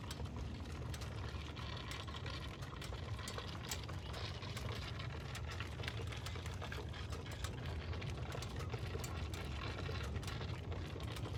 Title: Does anyone know what this is? I pulled in turned it off & it was making this noise